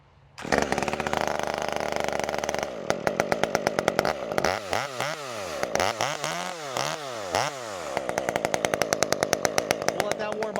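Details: Stihl MS201 top-handle chainsaw just fitted with West Coast Saw performance muffler; crisp two-stroke buzz revved up and down several times with clean, quick response and steady idle between, running healthy.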